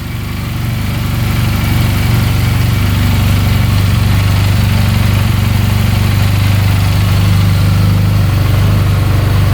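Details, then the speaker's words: 2022 Benelli 302S, auction purchase: a steady, even low idle with a smooth regular beat and no misses, knocks or rattles. No smoke and no fuel leak. Normal idle. "Wow. Sounds really good. No smoke."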